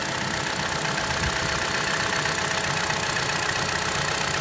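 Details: 2013 Chevrolet Cruze Eco at idle: quick, light clicking about four times a second over the hum, which the dealer says is normal; normal engine clicking.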